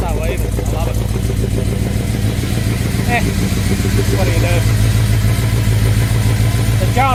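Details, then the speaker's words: V8 in a rusty newly bought truck parked over 12 months, now with a rebuilt carb and new fuel pump, jump-started: deep strong burble at steady fast idle, even firing, no knocks or misses; normal idle. "This thing's been parked for oh god probably 12 months actually longer. Still sounds like an absolute demon."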